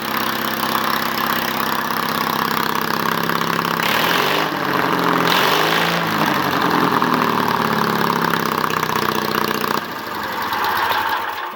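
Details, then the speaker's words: Case 222 started, temporary exhaust with one bolt welded to Allen wrench: fires and settles to loud open-exhaust idle with steady beat, rising briefly with throttle; running normally. "Now you got to hold this back. It's officially running."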